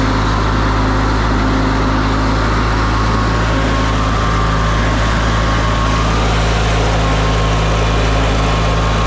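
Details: Older Briggs & Stratton Sentinel by Murray ride-on mower after starter drive gear replacement, driving and cutting: steady, even single-cylinder drone holding speed without surging or misses; engine running healthy under load.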